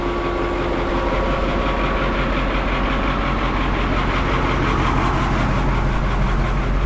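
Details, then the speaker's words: White 4-150 tractor diesel idling after hydraulic cooler gerotor pump rebuild: steady deep rumble, former hydraulic pump noise gone, no leaks. "there used to be a lot of hydraulic pump noise back here. Now it's quiet as a church mouse."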